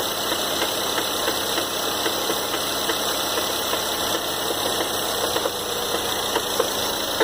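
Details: 2013 Ford Fusion 2.0L EcoBoost at idle: light, uneven knocks about twice a second over a hissy engine hum, an engine knock at idle.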